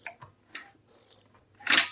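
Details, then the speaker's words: Junkyard Honda K20Z3 engine turned over by hand with a 3/4 ratchet during teardown: scattered dry clicks, jumps, then a harsh crunch as it binds and sticks; internal damage, engine judged bad. "oh man that's crunchy oh and we're stuck yep so I would I would say this motor is definitely bad 100%"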